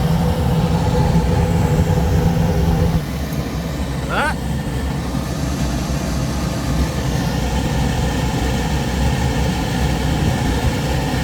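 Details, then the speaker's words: Goodman package unit furnace after new draft inducer motor installed: smooth steady low hum, no rattle, scrape or bearing squeal, far better than before; normal inducer operation, flame sensor issue suspected separately. "New inducer installed. Let's go ahead and see how we're doing. Sounds a hell of a lot better than it did the first time."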